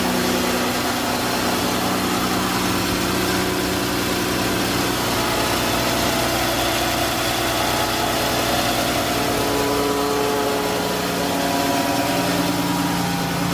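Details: 2011+ Chrysler 300 after intake manifold removal and oil cooler/oil sensor repair, first start: catches and settles into smooth even idle, no knocks, misses or whines; engine light still on; normal idle.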